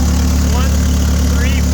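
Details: Clark forklift Continental Y-112 L-head propane engine after a valve job for a head gasket leak, retimed once the distributor rotor direction and firing order were corrected: deep, even low rumble at a steady idle with no misses or knocks; normal idle.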